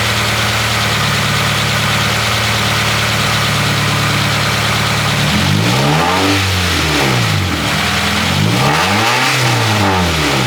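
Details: Honda Prelude H23A1 after timing belt replacement, valve lash adjustment and ignition timing setting: starter cranks, then a smooth, even idle with light blips and no ticking. Normal start and idle.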